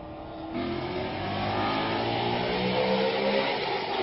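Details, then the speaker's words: 2007 Mustang GT with a swapped 2013 F-150 Coyote V8 and a newly installed 2018-2019 intake manifold, on a drive possibly reaching about 8,000 rpm: smooth climb in pitch toward redline, no misfire or rattle; healthy engine. "I might have gotten to 8K twice so uh I guess I'll throw in a little sneak peek for another video that I'm going to make about hitting 8K in this thing"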